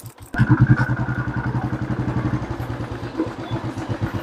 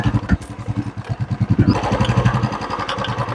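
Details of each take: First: Royal Enfield Classic 350 ridden after front wheel bearings and bearing spacer replaced and part tightened: steady single-cylinder thump with no clunk; the earlier khat-khat knock from the front end, suspected shocker/loose part, is gone. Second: Royal Enfield Classic 350 ridden over rough, potholed road: soft, irregular front-end clunks over the single's thump, louder on bigger bumps. Tightening the external nuts and bolts did not fix it.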